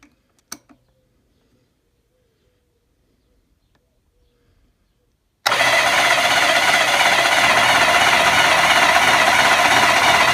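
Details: BSA Fury SS (E35SS) final starter motor test on the new, more powerful battery: steady, fast, strong, even cranking at about four beats per second. Starter turns the engine healthily.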